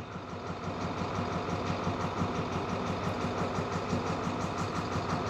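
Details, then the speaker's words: 2014 International MaxxForce diesel, check engine light on, won't exceed 20 mph, transmission and engine codes; loping irregular idle, about three pulses a second. Cylinder cutout test shows no change; injectors not activating; cylinder misfire suspected, possibly injectors, unconfirmed. "verdad a mi experiencia hay falla de cilindro posibles causas puede ser la puede ser Los inyectores"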